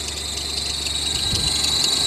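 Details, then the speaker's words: BMW X5 E70 after water pump replacement, cold idle, coolant low: steady high-pitched squeal over idle, suspected slipping belt; expected to go away once warm and thermostat opens; smaller belt planned. "this sound will go away once it warms up"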